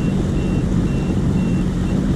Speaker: w shallow this is. Wow, you can hear it beeping. Now we're getting into deeper water, but you can see shallow water alarm. I love that feature.